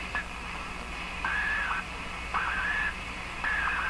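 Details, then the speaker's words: Electrohome PK 104 five-tube radio after capacitor replacement and alignment, tuned high on the dial: warbling tone near two kilohertz pulsing about once a second over hiss; owner suspects interference from a distant computer in sleep mode. "i think this is the sound of the computer at the other end of my house it went into standby mode on its own the sleep mode and i think this interference is coming from that computer all the way down there"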